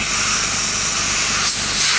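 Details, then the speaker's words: Portable home hyperbaric chamber rated 1.5 ATA, release valve opened while the compressor runs: steady, high hissy rush of escaping air with compressor underneath, dial falling toward 40 kPa; normal air release. "so the air will start escaping from the hyperbaric chamber so when the air is escaping you will see the dial go down to 40 kpa which is equal to 1.5 atmosphere"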